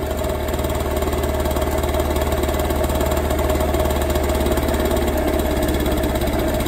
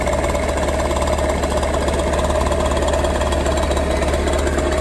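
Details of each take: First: Warm two-stroke scooter idling unsteadily with ragged faltering beat while carburettor idle mixture screw is turned in until it stalls; mixture too lean. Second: Warmed-up two-stroke scooter idling smoothly and evenly during carburettor idle-speed and mixture adjustment: a fast steady buzz with no misses or surging.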